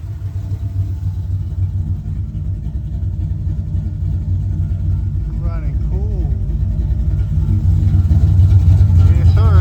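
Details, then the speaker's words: V8 street car with 830 CFM carburetor and JB Weld intake repair, just timed at 21° initial, 36° total: deep, even rumble with steady lope building smoothly with revs; no knocks or misses, running great. "Let's listen to this. Doesn't sound that bad at all. Sounds pretty freaking good."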